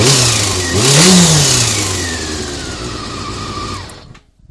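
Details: Honda CBR400RR inline-four after riding at Ebisu Circuit revving up and down, thin whirring whine above the exhaust; abnormal engine noise, cam gear train suspected, unconfirmed.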